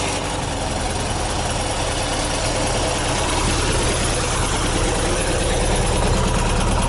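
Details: 1979 VW bus air-cooled flat-four rebuilt with twin Solex 44 carbs, big heads, Scat 35 cam, 2100 kit, J pipes, secondary fan oil cooler, about two years after conversion: steady even air-cooled clatter, no misses or surging; normal idle.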